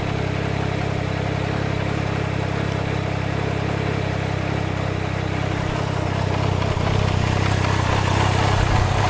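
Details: Can-Am Ryker at idle: steady low idle with an extra hollow rushing drone, louder toward the end; air intake noise, to be repaired by dismantling the intake/filter where a pin had come loose.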